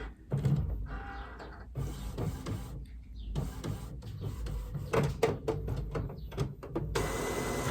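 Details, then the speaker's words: Epson WF-7720 inkjet printer after refitting replacement cartridges filled with sublimation ink that were previously not recognised: whirring, clicking start-up initialization cycle with motor runs and clacks, no error beeps. "Initializing again. Now I'm saying the word right. I could not say it earlier. I do not know why. It's initializing again."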